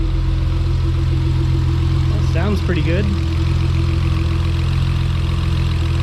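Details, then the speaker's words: Acura TL with its supercharger removed, now naturally aspirated with other mods, idles steadily and evenly with a smooth hum and no misses or ticks; air-fuel ratios look perfect. "All right, it's sounding pretty good."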